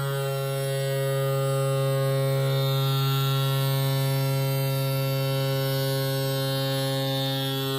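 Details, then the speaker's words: Yamaha F40 outboard power trim motor, previously slow and loud, after trim repair (O-ring suspected wrong size): even electric hum at steady pitch, no straining; works much better than before. "As you can see, this works much better than the previous time that I had tried it, so a lot of work, really worth it."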